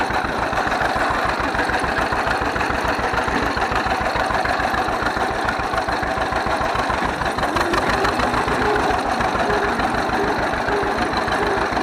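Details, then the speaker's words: 1931 John Deere GP two-cylinder tractor, first run after carburetor repair. Slow, even putt-putt at about three and a half beats a second, steady and unbroken; idles cleanly, smokes a little. "oh it sounds good she runs good smokes a little bit but uh i'd smoke it if i was that old"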